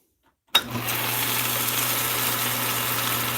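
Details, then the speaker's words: Atlas Craftsman 10-inch lathe with mostly plastic gears, low range at highest speed, in gear: steady even hum with a smooth whirr and no rattle; the quiet geartrain running normally. "and you don't hear all that rattling and all the nasty sounds that you normally hear from a straight cut lathe gearbox"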